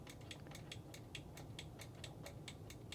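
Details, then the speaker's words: Vintage Pulser stereo record/cassette player: micro switch, previously stuck, freed with contact cleaner spray now clicks crisply about twice a second over a low hum; working normally. "that's clicking."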